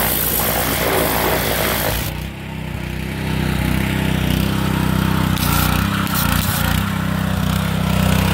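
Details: Kohler SH265 6.5 HP single-cylinder engine, bought used, repowering a pressure washer in place of a weak Honda, on test; strong steady drone dips briefly as load comes on, then recovers and holds evenly. Normal running under load.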